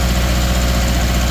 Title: 2013 subaru outback 2.5 misfire cylinder 3